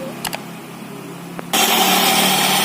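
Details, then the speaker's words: Honda Vario 150 FI scooter with CVT cover opened, rear clutch checked normal: starts and holds a raspy, rough whirr from the drive side at idle; noisy CVT traced to the drive belt, checked for hardening, wear and dirt. "Jadi bagi Anda yang mungkin memiliki Vario atau Beat, jika sering mengeluarkan suara kasar seperti ini, jangan panik, periksa dulu karet sabuk kipasnya."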